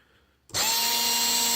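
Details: Combat Gear Multi-B circuit: sudden start into a steady high electric whine at one even pitch; small pump motor running normally.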